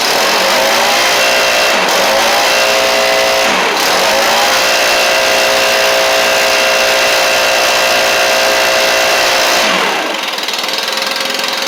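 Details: Stihl BR700 backpack two-stroke blower running after a carburetor swap and some choke adjustment. A high, buzzy note holds steady through a few quick throttle dips with clean recovery; normal running.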